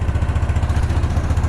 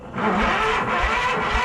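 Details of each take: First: Case 444 tractor revived after sitting behind a barn, single cylinder, just started after clearing the shroud of mouse nests: steady low thump with even firing and no misses or knocks; clean healthy idle. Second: Case 444 tractor pulled from behind a barn: starter cranks evenly for six seconds, never firing; no spark because the ignition points are dirty.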